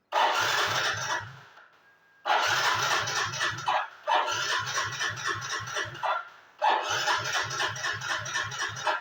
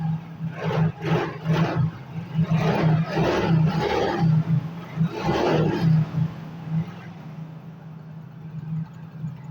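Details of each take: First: Yamaha Mio GT scooter that won't start, no MIL fault code, over a litre of fuel in tank: short starter bursts with quick even chugs, never catches; weak fuel pump pressure starving it. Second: Yamaha Mio GT scooter that would not start, fuel pump pressure checked (should be 40 psi, about 20 measured): engine catches and holds steady idle, short throttle blips rise and settle cleanly; now running normally.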